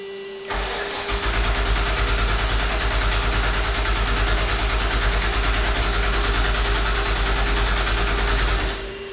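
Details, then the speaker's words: Car from a collection, clam shell and air filter removed, having popped once on an earlier try, before starting fluid: starter churns evenly about three beats a second for eight seconds without catching; crank no start, cause unconfirmed. "okay I have the clam shell out the air filter off and we did try to crank it one time and it just kind of like popped for a second"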